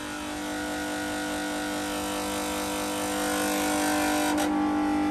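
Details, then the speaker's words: Snap-on 60 A battery charger, about 20 years old, charging a car at about 10–15 A: loud, steady, mid-pitched hum with a buzzy edge that never changes, as the bent-up case vibrates. "and because the case is all bent up the vibrations are crazy but obviously we could fix that"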